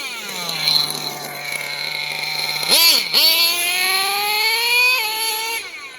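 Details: RC truck with adjustable top-mounted link rod: a steady whine jumps sharply as the revs flare with no load, then climbs again; first thought to be the slipper clutch, it was the reverse gearbox slipping out of gear, fixed with DX5c end-point adjustment.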